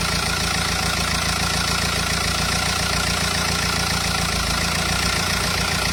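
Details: Renault Espace 2.0 dCi diesel idling: steady running with a rough, uneven clatter layered over it; abnormal engine noise, cause unclear.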